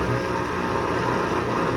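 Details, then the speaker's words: Midea washer-dryer making a loud, steady rough grinding with low hum, like a stone inside; cause was a failing drain pump, replaced, after which the machine ran quietly. "Olha o barulho dessa máquina. Parecia até que tinha uma pedra dentro."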